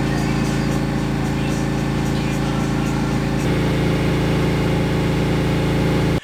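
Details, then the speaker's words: Harley-Davidson V-twin after cam job (easy-start cams, lifters, S&S oil pump, pump plate), rattle believed from the exhaust pipe/heat shields now gone: steady V-twin idle with deep lope and no metallic rattle; normal idle. "so we think that's what it is because now it's gone"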